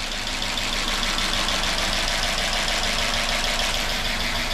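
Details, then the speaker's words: 2005 Chrysler 300C AWD 5.7 HEMI after a rebuild for a dropped valve seat and a destroyed piston and head. It is idling briefly with no coolant in it. Fast, light ticking over a steady idle as the lifters pump back up with oil. "sounds awful but that's just a liquer pumping back up there's no cool in it it so I'm not going to run it too long but it uh it's idling hear all the lifs Bing for"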